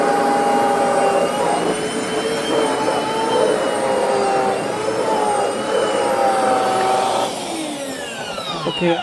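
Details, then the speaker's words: Six-month-old Hoover FH52110 Smart Wash carpet cleaner: rough wavering motor whine with a gritty grinding felt as vibration in the handle, with burning smell; it then went intermittent and lost power completely. "I can actually feel a vibration in the handle when you hear that grinding sound"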